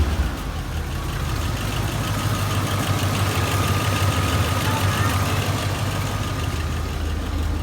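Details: 1992 Ford F150 just after a fuel pump replacement, first time running in a while: steady, even low idle rumble with a light throttle blip; smooth and settled, runs fine.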